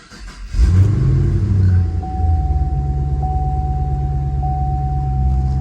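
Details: 2010-2014 fifth-generation Chevrolet Camaro after fixing the cylinder 2 misfire (P0302/P0202) with new spark plug and injector line: starter catches, then a steady, even low idle with no stumble; runs clean, no codes.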